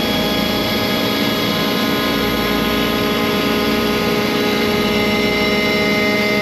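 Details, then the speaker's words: ShopBot CNC spindle V-bit cutting 6061 aluminum, loud steady high whine with a harsh strained edge; it doesn't sound good, a rough cut, so the cut direction and start depth will be changed. "I'm going to change its direction and see if we get a little different result."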